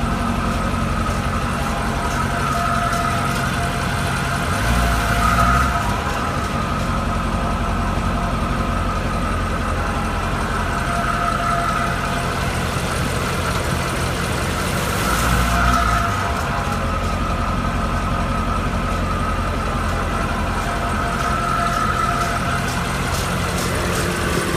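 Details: 2012 Corvette Grand Sport V8 with 11k miles running at a steady low speed, ticking while in gear: a light, fast tick over the exhaust rumble.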